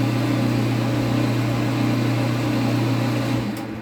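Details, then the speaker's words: Water pump with a replacement impeller running: strong steady low hum with no bearing rumble or grinding; the fault is the impeller sticking at the center because it is too long at the front, a factory defect. "Yes, it is turning on perfectly, it has a good sound, it does not sound like a bearing. The only problem it has is that it is getting stuck."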